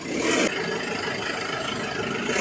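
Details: 2011 Panther LM diesel idling after DIY purging of injectors and injection pump: even, steady clatter with no rough or uneven beats, idling normally, exhaust smoke reduced.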